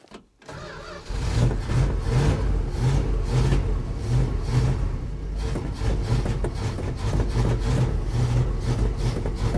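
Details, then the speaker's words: 1973 Dodge D100 after replacing a crusty fuel pump: long, steady starter cranking near three turns a second with no firing; it fires once gas is poured in, so owner suspects the carburetor inlet needle is stuck closed. "I almost think the the needle is stuck coming into the carburetor cuz obviously it fires up once once I obviously it fires up once I uh fill it with gas"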